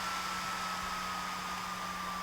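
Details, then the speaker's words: Atomos Ninja V monitor on AtomOS 10.72 with turbo cool enabled after recording a few minutes: constant airy rush with a thin steady whine and low hum; small fan spinning fast and running normally. "the ninja has been recording for a couple of minutes now so i'll stop it and enable the turbo call and see if it has an effect"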